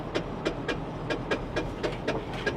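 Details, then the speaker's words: Honda Insight at auction idling with sharp ticking knocks about four times a second that change with accessory load and fade when the AC engages; no power steering; owner first feared an internal engine problem, now believes a pulley. "Air Conditioning is oh it's going away that noise is going away because the air conditioner came on that's a pulley"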